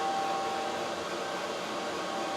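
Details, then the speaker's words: xTool P3 CO2 laser engraving after replacing a cracked leaking water tank; exhaust fan on, steady even airy rush, no knocks, beeps or surges, no error notice, tank holding water, running normally. "it's working I didn't get an error notice it's engraving right now it's gonna do a cut here after it's done doing this"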